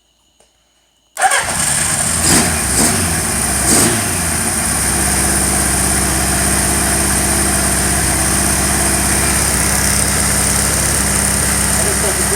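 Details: Warmed-up motorcycle with cylinder #2 dead: starts and settles into a slightly lumpy, uneven idle; spark test on #2 coil shows a nice fat spark, so not electrical, owner suspects the #2 carburetor.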